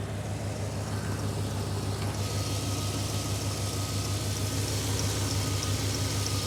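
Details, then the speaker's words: 1995 GMC V engine after distributor replacement with ignition timing reset to 0°: smooth, even low rumble, no misses, ticks or knocks; normal quiet clean idle after repair. "so all in all it runs really good it's nice and quiet it's running clean"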